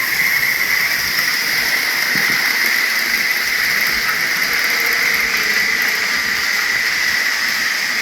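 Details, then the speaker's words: Tyco Grand Trunk Alco C430 model locomotive after cleaning and oiling its power torque drive, which had run rough and squeaked: even high motor hum and steady whir with no catches on the track; smooth running. "There we go. I think it's running pretty good."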